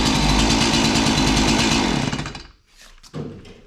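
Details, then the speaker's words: Stihl MS 180 two-stroke chainsaw just started with the choke, choke lever released by the trigger and chain brake off, revved: a crisp buzz with fast, even firing and no misses. Healthy. "so when it started up i hit the trigger it went back into its normal runner position then i disengage the chain brake i can rev the engine"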